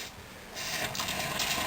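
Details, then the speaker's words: Olympia Cremina manual lever espresso machine just heated up: a soft hiss jumps up and holds steady as the steam knob opens, venting false pressure from the boiler before pulling a shot. "And so what we're going to do, and I'll explain this little plastic thing as we go along, is that we have to open up the steam knob to release some false pressure from the boiler."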